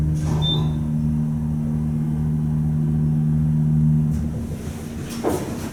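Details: Telescoping holeless hydraulic elevator at a Harris Teeter store, heard from inside the car going up: steady low pump motor hum at even pitch for about four seconds, then cuts off; normal hydraulic drive.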